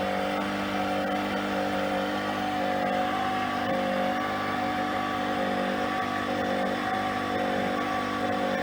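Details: PRO-FORM Cardio Strong treadmill (PFTL71013.0), before bearing replacement: loud, steady grinding drone with several whining tones from worn bearings.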